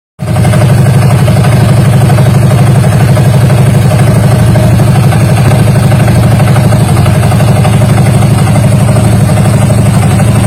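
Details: Yamaha Mio Soul GT 125 scooter, about 4-5 years old, idling: steady tick about four times a second from the CVT, traced to the variator boss seized on its shaft.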